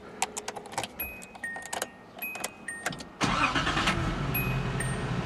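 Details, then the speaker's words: Nissan 280ZX after replacing the battery and all terminals, charcoal canister replaced, idle and BCDD adjusted: a few clicks, then it starts promptly and settles into a steady idle around 900 rpm without hunting; normal start and idle. "one time it's idling it's supposed to idle about 800 so it's probably around 900 right now but watch this no wonky idle anymore no wobbly [ __ ] no wonky [ __ ] it's good"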